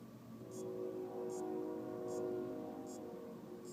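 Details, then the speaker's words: AOpen LCD monitor that won't power on: faint clock-like ticking about every 0.8 s over a low hum from the power supply after its capacitors were replaced and diodes, rectifier and transistor checked; the supply seems to be cycling and the source is uncertain. "hay un ruido pare parece como el de un Ah reloj y no estoy 100% seguro de dónde viene el sonido"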